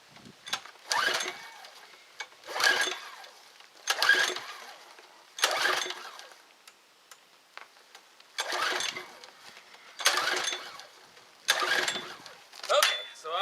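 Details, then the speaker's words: Craftsman quick-start pressure washer, unknown history, choke on: recoil pulled every second or two with a rattling whir, engine never catches or fires; cranks but will not start, spark plug looks very clean. "under the conclusion that it does not start okay that is the problem"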